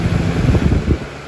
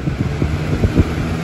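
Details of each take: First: 2000-01 Lasko 3733 box fan with heavier frame and motor: soft steady rush of air with no rattle, tick or hum, running normally on medium. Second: 2000–01 Lasko box fan model 3733 on high speed: steady low motor drone with occasional knocks and rattles; fan shakes badly but doesn't tip over.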